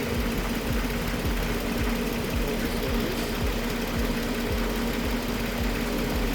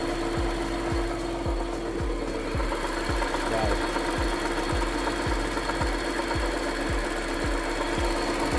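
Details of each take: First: 2019 Audi Q7 3.0T (4M) idling after A/C compressor pulley replacement, A/C on, clutch engaged: smooth, whisper-quiet running with no grinding or marble-like noise that the faulty pulley caused. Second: 2019 Audi Q7 3.0T supercharged, supercharger belt off: rough gritty marble-like grinding with steady hum and dull thumps about twice a second, mistaken for supercharger; cause worn A/C compressor pulley bearing, replaced.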